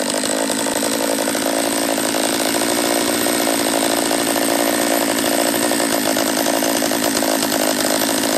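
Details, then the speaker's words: Refurbished Husqvarna 44 chainsaw on its third heat cycle after reassembly, carb leaned an eighth turn: a loud, buzzy two-stroke drone that won't settle into a clean, crisp note. It runs poorly; owner suspects a lower-end vacuum leak. "all right so it's not running right um if i can't get it to tune out on this third heat cycle i'm just gonna shut her down"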